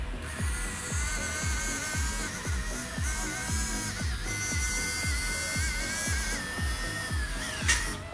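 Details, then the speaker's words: Motor removed from a 1:16 four-wheel-drive RC pickup with weak drive, bench-run: whirring tone whose speed wavers with a rhythmic pulse at about 2 A draw, caused by shorted commutator segments. "обороты плавают ток при этом 2 ампера мотор очень плохо необходимо его разобрать и выяснить что там с ним случилось"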